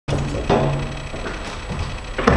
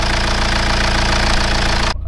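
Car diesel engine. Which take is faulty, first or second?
first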